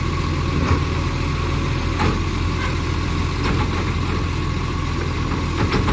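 A heavy diesel idles with a deep rumble and occasional sharp puffs, typical of an exhaust leak.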